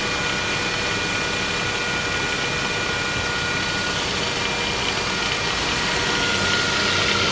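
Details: Saab 9-5 Aero at idle: steady hissy, whirring whine riding high over the engine, first suspected as an oil filter in the sump but found to be the water pump; failing water pump.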